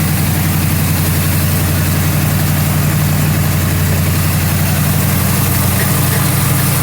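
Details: 1977 Mercury Marquis 400M V8 just after tune-up (new plugs and wires, distributor corrosion cleaned, valve cover gasket redone): loud, deep, even idle with steady low rumble, no knocks or ticks; runs healthy.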